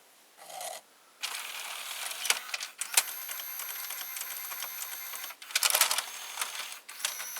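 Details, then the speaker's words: Panasonic SA-HT820V VCR/5-disc DVD changer combo loading disc 5: short whirs, light clicks and rattles in bursts as the changer indexes; takes a few seconds but plays fine; normal loading. "The operation is not extremely fast, but this is pretty normal. You saw it took a few seconds before it played the disc 5, and it plays it with no problem."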